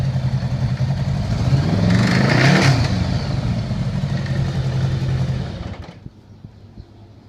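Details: 1982 Honda GL1100 engine: rough rhythmic knocking, about three to four per second, over the engine as it revs, then shut off; cause unknown.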